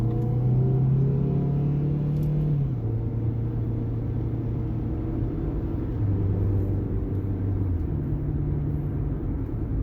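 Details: 2014 Jeep Patriot 4x4 on a test drive after rear wheel bearing replacement, done to cure a loud hum. Steady low road rumble with no droning hum rising with speed; the rear wheel bearing sounds quiet and healthy.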